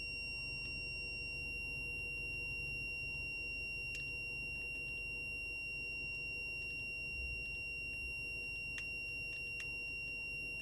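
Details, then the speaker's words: Older Volkswagen Passat on the move: steady piercing high-pitched squeal over road and engine rumble, appearing after the car starts driving and gone after switching off and restarting; cause unknown. "Тоже Passat, годами немножко постарее, чем мой, появляется странный писк после того, как машина начинает движение."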